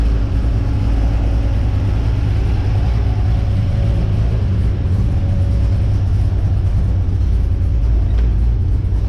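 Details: XG ute after fitting CNC-ported heads and a VCM 13 cam, fresh oil, warming up: deep, steady, smooth low idle rumble with no knocks or ticks; healthy.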